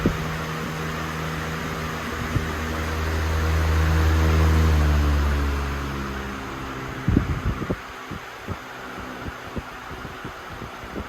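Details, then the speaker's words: Freshly cleaned and oiled motor of a 1994 Lakewood HV-18 fan, reassembled with blade and grille and started: smooth hum swelling as the blade comes up to speed, no grinding or rattle; bearings well lubricated, normal running. "The motor is all back together. It's nice and clean now. It runs great. The bearings are very well lubricated."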